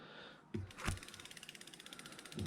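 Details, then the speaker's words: Samebike L026 version 2 e-bike, newly upgraded disc brakes, caliper aligned by holding it while spinning wheel, before tightening bolts. Quick even freewheel pawl clicks slowing gradually, no scraping: normal freewheel clicking, no brake rub. "all right so there i do not hear any rub i'm not even looking inside where the brake pads are i'm not looking down in here i'm just spinning the wheel i don't hear any rub"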